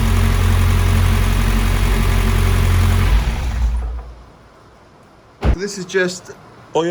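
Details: Mitsubishi Evo X 600bhp turbo petrol build, first start after fitting the timing chain and replacing the turbo feed banjo bolt: deep, steady, even idle with no knocks or misses. Oil is burning off the new manifold and downpipe; earlier lumpiness was blamed on the 12V hardwired fuel pump.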